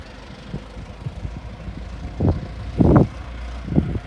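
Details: Restored 1921 American LaFrance fire engine driven down the street: a low, soft engine rumble with a few louder surges as it pulls away, no knocking or rattling, like a healthy old four-cylinder; fine restoration, normal running.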